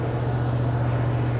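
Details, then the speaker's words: 1999 Land Cruiser 100 Series after repairing torn crankshaft position sensor wiring that caused crank-no-start: deep, steady drone with an even beat and no knocks or ticks; normal idle, owner notes the throttle position sensor needs adjusting. "so this is an update on 99 landcruiser as you can see the truck is running runs good sounds good"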